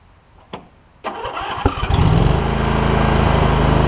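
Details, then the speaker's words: John Deere L120 lawn tractor with 51 hours: short crank, then a steady, even V-twin beat with no misses or knocks; engine running well. "You see, it's running good."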